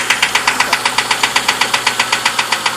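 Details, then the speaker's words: Engine at idle with a steady sharp tick, roughly seven a second, over an even idle; lifters or the oil pump are suspected, not confirmed. Ticking at idle. "hear the clicking hear the clicking of it s horrifying can't be that bad"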